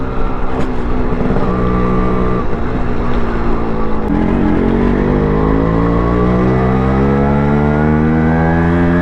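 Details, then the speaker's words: Restored Yamaha RXZ 5-speed two-stroke motorcycle being ridden: a crisp two-stroke note climbing smoothly through the gears with even firing and no knocks or rattles. The freshly restored engine is running healthy. "ನೋಡಿದ್ರಾ, ಈ balance ಇರಬೇಕು ಗಾಡಿಗಳಲ್ಲಿ. ಎಂಥ soothing sound ಗುರುವೇ."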